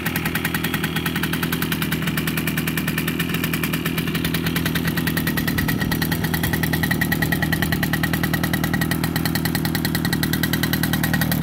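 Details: Ogar 205 moped after an engine rebuild: crisp, regular two-stroke popping at idle, then clean rising revs with no misses or rattles; the engine runs healthy.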